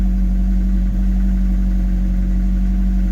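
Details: Rover 25 GTI, 1.8L VVC 143 bhp engine: idle sits high and rough with an uneven low hum, over-fuelling and white smoke; owner suspects failed throttle position sensor, head gasket again or IACV, unconfirmed.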